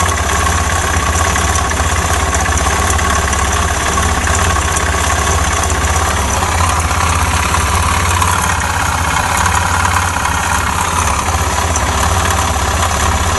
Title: Стук в моторе Suzuki Djebel 250xc после которого мотоцикл больше не завёлся